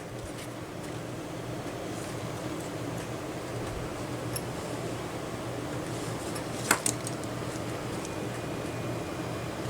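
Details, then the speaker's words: Small cooling fan from a Wanhao Duplicator i3 / Monoprice Maker 3D printer, reassembled after repair and powered on the bench: soft, even whir with faint steady hum, no rattle, scrape or wobble; running normally, nice and quiet. "nice and quiet"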